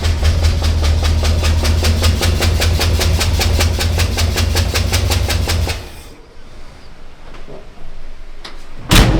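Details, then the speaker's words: GMC 9434 1-ton truck V8, first start after a six-year build: lumpy, loud chuffing at about two and a half beats a second with an uneven pulse; running on seven cylinders. "Oh, you know what else is the problem, don't you? Come on. We left the spark plug in. Oh fuck, that'll be. She's running on 7."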